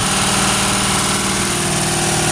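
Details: Original 1971 Ford Torino after 25-30 years stored in a garage, with Marvel oil in the cylinders and 2-stroke gasoline. Uneven, stumbling idle with hiss, oil coming out the exhaust. Runs "stoved up", possibly from the oil, cause unconfirmed. Rough idle.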